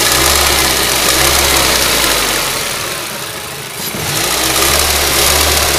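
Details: Ford Duratec HE 1.8 engine ticking: quick regular ticking about four per second over a bright engine note, steady at idle, dipping as revs change; cause unknown, owner asks what it could be.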